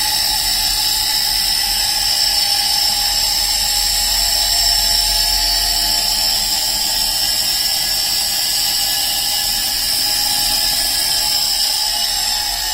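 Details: Arçelik 5800-series washing machine brought in for a noise complaint: steady high-pitched whine with a constant hiss over the running drum; the drive motor is worn and will be repaired.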